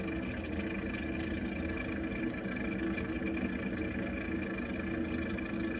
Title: Heating water strange noise problem Viessmann Vitodens 100-W B1KF-19